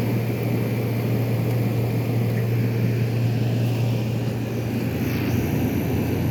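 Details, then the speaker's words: 1973 GM Frigidaire 11,600 BTU air conditioner, compressor dated January 1973, heavily rusted and corroded. Steady low compressor hum over the fan's rush, even with no rattles or clicks, blowing ice cold; the compressor is running normally. "if this thing has a service port from the factory that's that's special but yeah everything sounds good the compressor sounds happy"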